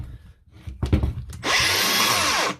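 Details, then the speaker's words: Makita DGA angle grinder spins up to a harsh, gritty, rough whine, then winds down. The noise comes from a worn armature bearing; the fix is replacing the bearing. "and she's noisy and she stuff I featured this last week on my channel and showed you what theault was it was a bearing"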